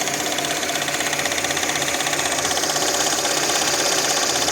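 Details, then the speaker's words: VAZ 21214 Lada Niva 4x4 engine at even idle with steady fast tapping about four per second; owner suspects the timing chain needs tensioning (chain guide, tensioner), heavy carbon under valve cover, unconfirmed. "вообще непонятно что там стучит сам движок то работает вроде нормально Ровно"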